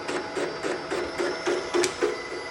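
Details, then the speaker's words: Milling machine boring a Type 4 aluminum engine case for big bore cylinders, near the bottom: rhythmic chattering interrupted cut, about three and a half hits a second, as cutter strikes a small internal ledge. "okay interrupted cut that you're hearing right now i'll take you over and show you what it is there's a little ledge that's down in there that it's hitting"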